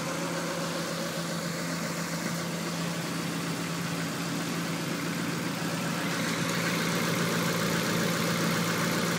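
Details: 1994 Honda Accord after head gasket, milled head, timing and balance belts and new NGK plugs: steady idle with uneven lumpy beat about four per second; cylinder 4 misfiring with dry plug, engine shakes, no check engine light.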